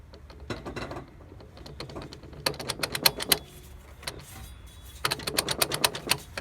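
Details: 2002 Dodge Durango R/T with 135,000 miles: bursts of rapid, sharp metallic clicking, about four a second, with grinding, coming and going from the front driveline while driving.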